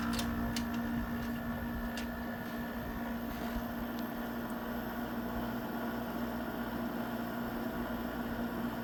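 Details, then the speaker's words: GE 6,000 BTU air conditioner, newly installed in a bedroom, first start-up: steady even hum with constant fan rush and a faint rattle of vibration; running normally. "Sounds pretty good. A little bit of vibration"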